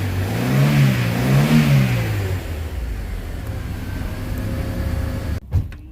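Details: 2000 Honda City that stalled intermittently, after the broken earth/RPM signal wire to the meter was repaired: clean revs rising and falling smoothly, then a steady, even idle. Normal revving.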